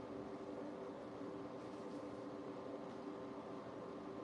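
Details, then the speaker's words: New countertop ice maker running its water circulation: quiet, even pump hum with a soft steady tone, likened to an air conditioner, with no rattle or gurgle. Normal water circulation. "I don't know if you guys can hear that now. Sounds like a air conditioner. It's called the water circulation."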